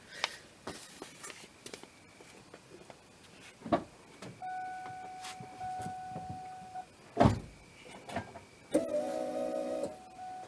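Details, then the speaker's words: Ford Mustang that sputtered when nearly out of fuel, camera under the gas tank at key-on: clicks, then thin steady whine for a couple of seconds each key cycle; fuel pump priming sounds abnormal, cause not yet found. "when I start the or when I key the pump here yeah it just it does not sound right to me"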